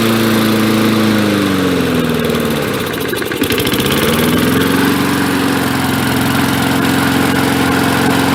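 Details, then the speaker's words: 1965 Briggs & Stratton 82906 3 hp wind-up-start engine, sat for years, first run with only fresh gas and oil, main jet possibly clogged: even single-cylinder putter, one brief governor dip and recovery, then settles smoothly; runs healthy. "That thing sounds great. Nice and smooth too."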